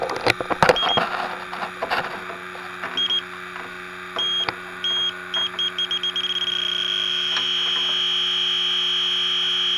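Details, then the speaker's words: Aging home air conditioner low on refrigerant, electronic detector searching lower evaporator coil after a first leak found: irregular ticking speeds into a steady shrill tone; another refrigerant leak, coil has multiple leaks. "all right let's let this thing base out I guess this coil has multiple weeks in it"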